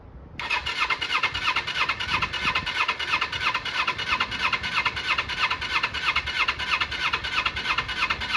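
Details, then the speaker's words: Kawasaki Eliminator EL250 under restoration, full choke: starter turns the engine over steadily, about three beats a second, for several seconds but never catches; owner suspects carbs, cause unconfirmed. "Will it go? No, it won't. Full choke."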